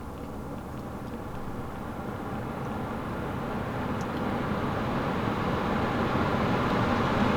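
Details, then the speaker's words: Vehicle's AC blower commanded up from speed 1 through a scan-tool active test in the AC ECU: smooth rushing air grows steadily louder, with no rubbing or ticking, so the blower steps up speed normally. "You can see the blower speed has progressed, and you can hear the fans too blowing a whole lot louder."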